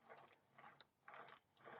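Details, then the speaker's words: Giant TCR road bike with the bars turned by hand; gritty grinding in short bursts, about two sweeps a second, from a rough headset bearing. Owner suspects it may be over-tightened or the wrong headset. "And that headset feels a bit graunchy as well. I don't know whether that's been over tightened. Oh, that sounds proper rough."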